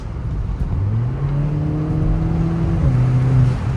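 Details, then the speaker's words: Kia Forte GT in sport mode after the artificial engine sound was disabled, with MBRP axle-back exhaust: a quick blip with a clean rising tone that drops back, only deep exhaust rumble and no synthetic drone. "all right guys as you can hear we are in sport mode and zero artificial sound"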